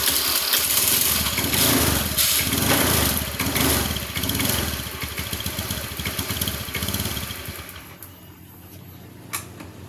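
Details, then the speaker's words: Honda Beat FI scooter, pushed to the shop: engine runs rough, sputters "blep blep," dies then catches again in sputtering bursts, hard starting; cause low fuel pump pressure. "saya mendapatkan keluhan permasalahan motor Honda Beat FI dengan kendala ketika dihidupkan blep blep blep blep blep seperti itu, hidup mati."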